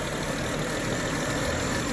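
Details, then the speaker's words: 2009 BMW 535i after oil pan gasket replacement, fresh 7 quarts of fully synthetic oil, and replaced Vanos solenoids and cam position actuators: steady, even, clean idle with no misses, ticks or knocks. "So with the Vanos solenoids being replaced, it sounds to be idling pretty nice and clean now. It's a nice and steady idler."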